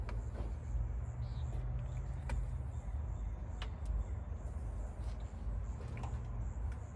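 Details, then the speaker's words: 1962 Chevy Corvair sitting 40 years, new starter, running on carb cleaner with no fuel: slow, uneven cranking with sharp metallic clicks and no firing; odd sound in the crankcase area, owner unsure whether starter or flywheel. "Oh gosh. I don't know what that sound is. see if we can get the pop off on its own. Uh, there's a odd sound in the crank case area."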